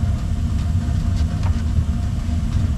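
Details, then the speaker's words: Old Rheem forced-air gas furnace that quit in winter, running again after troubleshooting transformer and thermostat issues; fan came on. Even low rumbling drone, steady, no rattles, bangs or squeals: burner and blower running normally. "okay the fan came on everything's on everything's running"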